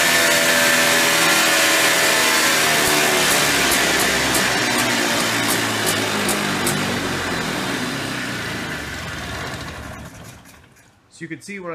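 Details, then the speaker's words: Early-1990s Polaris Trail Boss 250 two-stroke with a clean carburetor: high buzzy engine stays up and winds down slowly after the throttle closes; owner suspects a crankcase seal air leak behind the flywheel or clutch. "see when I let off the throttle, you could hear it kind of wind out. I'm pretty sure it's got an air leak."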